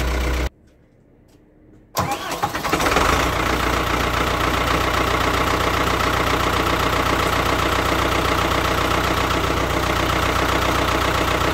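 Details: Ford 6610 Force II diesel tractor, formerly very hard to start, after a Mahle geared starter upgrade. With no cold start aids (no excess-fuel button, no manifold heater), it gives a short crank, fires immediately and settles into a steady idle. Normal start.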